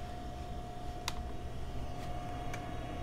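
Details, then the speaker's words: Quiet steady mid-pitched whine with a few sharp ticks as the newly attached hard drive spins up in the Osicom OfficeMate 286. Noisy drive, health unclear. "don't know if you can hear that don't know if it's good hard drive noise or a bad hard drive noise but it's a hard drive noise"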